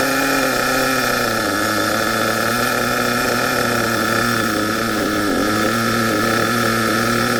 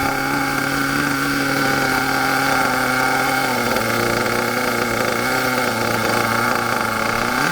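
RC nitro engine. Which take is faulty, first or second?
second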